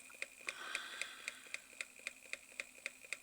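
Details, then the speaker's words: Reverse osmosis water pump running: sharp, light knocks about four per second at steady rhythm; worn plastic front bearing seat gives play, letting the armature strike the magnets. "Оказывается, посадочное место подшипника в пластике уже изношено, появляется люфт, и он ударяется о магниты."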